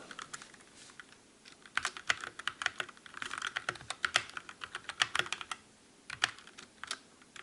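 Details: Calibur keyboard with Otemu red switches in a typing comparison against the Motospeed CK62: soft, quick clacks in uneven bursts with no ringing or ping after keystrokes. Normal, clean, quiet typing.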